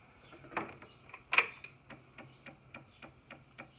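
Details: 2009 Honda Metropolitan CHF50 that won't start (new battery, fuel pump, filter, carburetor; compression about 135, spark present), key on, brake held, engine off: quiet, even ticking three or four times a second; fuel pump priming normally.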